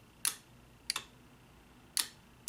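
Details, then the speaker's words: 2004 Honda Accord EX 2.4L cruise control actuator bench-tested with 12 volts: four sharp double-snap clicks as the magnetic clutch engages and releases, indicating it is likely good. "It's pretty loud. I hope you can hear that. But it's pretty darn loud. This is also clicking too, but that's really clicking. And that's how you can check it. If you hear it clicking, it's more than likely good."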